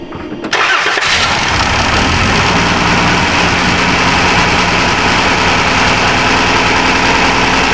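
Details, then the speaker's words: 2015 Dodge Caravan with a failed fuel injector, first shop to diagnose it, started with the injector plugged in: after cranking it catches and runs rough and uneven with a lumpy, stumbling idle beat; one cylinder dead, misfire. "Alright, and just to prove to you that it doesn't run any better with the injector plugged in, because I know we've got some trust issues, you and I do."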